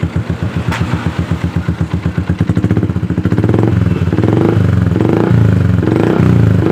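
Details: Yamaha Jupiter MX (135) after fixing no-start (starter clicked only despite new battery), starter tested via jumper: steady chugging crank, catches, settles into smooth even idle; normal start and idle.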